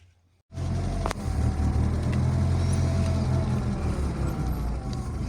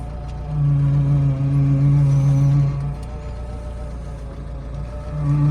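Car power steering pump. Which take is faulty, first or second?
second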